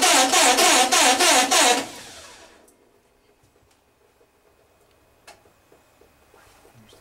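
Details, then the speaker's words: 1909 Cadillac, parked since 1934, fitted with an electric starter, with compression, spark and fuel confirmed and the carburetor dripping: regular cranking about three a second for under two seconds with no firing. The finding is cranks but won't start. "we know we got compression we know we got spark and we know we got gas in so the carburetor dripping is that we hear"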